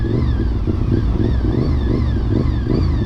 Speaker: The gear-driven cams, if you don't know what that is, basically instead of having a cam chain, there's a bunch of metal gears that actually turn the cams.